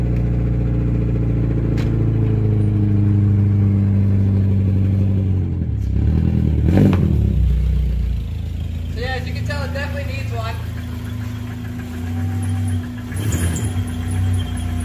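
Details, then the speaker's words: Subaru daily driver with a Tsudo exhaust and no muffler fitted, before a cheap Thrush turbo muffler is added; deep booming drone swelling loudly with each rev and harsh at idle, described as obnoxious; loud exhaust without muffler. "so you can hear how bad the subaru is right now and to say at least it's obnoxious as [ __ ] and that's being nice to it"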